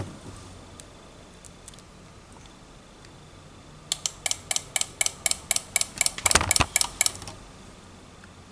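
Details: New electric power steering unit (Daihatsu Sigra torque sensor, module 046, Avanza-type motor) for Suzuki Katana DX manual rack, bench-tested before installation: sharp, dry ticks about four a second, fairly even; cause unknown.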